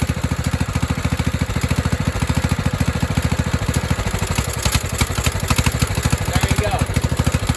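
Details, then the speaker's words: 1997 Craftsman mower, 16 hp Kohler Command single-cylinder running rich, thumps steadily then stumbles after carb spray into the intake; owner also suspects a head gasket leak from hissing. "spray it in the intake and it feel like if it tries to kill the mower the instant you spray this in there that means it's running rich because it's getting too much fuel"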